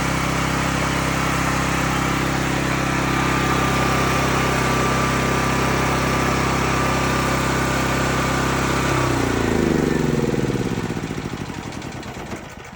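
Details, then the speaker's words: Cat RP8000E generator, about 5 years old, running with the faulty CO sensor bypassed; steady even drone about nine seconds, then winds down smoothly when the bypass switch is turned back off to shut it off. "if you bypass if you bypass this CO2 sensor, you can't turn it off while it's running."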